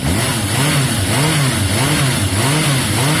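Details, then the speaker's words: Yamaha XJ550 after carb cleaning, warming up: repeated quick throttle blips with revs climbing sharply and dropping cleanly, revving very strong; a touch smoky from carb cleaner. "There, you can see it's warming up, you can hear it. It's revving very strong. Woo!"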